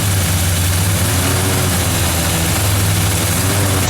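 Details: 1978 Chevy K30 Scottsdale 350ci V8, first start in 4 years after sitting, alternator charging 15 volts; deep even rumble at steady idle, no knocks or misses. Normal idle.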